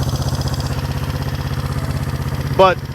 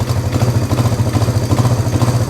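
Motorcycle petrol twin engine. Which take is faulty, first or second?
second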